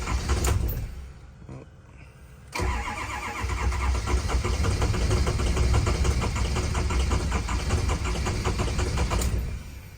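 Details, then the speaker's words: Built 6.0 Powerstroke diesel on its first drive after a rebuild; a weak struggle before it catches, then a loose, uneven clatter that stumbles instead of idling cleanly. Hard start with stumble, owner suspects air still in the fuel system. "Like I said, I think it's still got some air in it."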